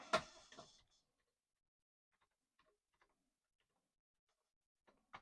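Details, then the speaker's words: Commodore 1541 floppy drive, previously opened, connected to a C64: sharp clunks and faint ticks as the head bangs against the stop without reading. Floppy drive head knocking. "let's try and see this head banging oh that sounds interesting"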